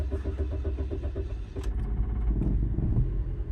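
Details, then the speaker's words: 2006 Scion xB after new spark plugs, MAF cleaning, air filter and intake cleaning and a clean throttle body: the starter churns in even pulses about 1.5 seconds before the engine catches and settles. Slow to fire, cause unclear; otherwise sounds better. "oo that took a while to fire up what was that about"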